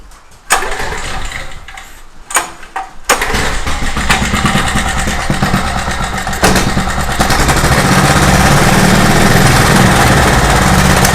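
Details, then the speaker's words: Craftsman portable generator, speed tab found bent far toward the governor arm: fires after a few cranks, idles fine at the idle screw but speed climbs and takes off when moved slightly off it; governor not holding, spring disconnected. "When it's down at its lowest speed, right here at the little idle screw, it sounds like it's idling fine, but man, as soon as you move it a tiny bit away from that screw, as soon as you move the idle up just a tiny bit, it wants to just take off. It wants to idle up way too high."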